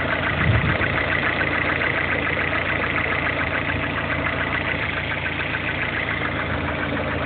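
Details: Lada Kalina 1.4 16-valve engine at idle: faint fairly regular light knock over the hum, rhythm tied to engine speed; engine knock, source unclear.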